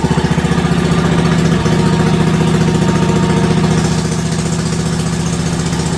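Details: WWII Wisconsin AB military Signal Corps generator, last started 70 years ago, running after fuel was poured into the float bowl and putting out about 117–120 volts: an even firing pulse of about 220 a minute with no misses or surging. Normal running.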